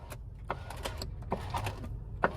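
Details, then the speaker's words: 2018 Skoda Fabia power window, button pressed down and up: motor whirs with scattered crunching and snapping, window not moving; switch control confirmed, failed window regulator cable. "so that's me pressing the button down, button up. You can hear that crunching noise if you're kind of quiet."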